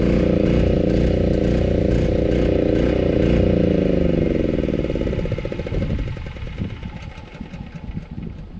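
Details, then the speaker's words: Newly acquired gas-powered saw making its first cut: the engine pulls with a steady beat, then sags and stumbles unevenly under load. Bogging; the cause is unknown and the choke setting is being tried. "Probably not supposed to sound like that."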